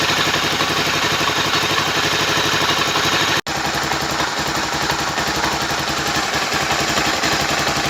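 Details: Motorcycle idling with a loose, uneven rattle over the engine beat, about four per second; the strange engine noise turned out to be the clutch basket.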